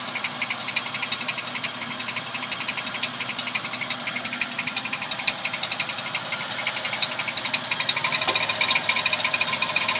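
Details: Toyota Tacoma at steady idle with a sharp metallic tick-rattle about three times a second riding on top. The owner is trying to locate where the rattle is coming from; the source is not yet found.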